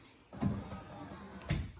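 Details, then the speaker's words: 1996 GMC 3/4-ton Suburban (Cummins diesel swap), AMP power running boards with added lights, deploying from front or rear door: a thump, about a second of smooth even motor whir, then a firm stop; normal step operation. "All right, here's a demonstration of the power steps. We also added in the lights. Hopefully you can see that."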